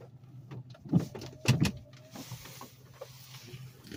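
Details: 2013 Chrysler 200, left rear wheel on recent mornings: irregular creaks and groans come and go, sometimes really loud; rear brake noise, cause unknown.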